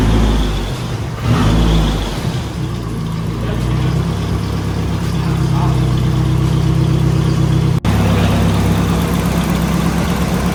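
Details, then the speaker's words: Nissan 240SX S14 warming up during idle adjustment, waiting for thermostat to open; smooth steady idle with even low exhaust note, no misses or knocks, sounds healthy. "Sounds good. I like it. It sounds really good, honestly."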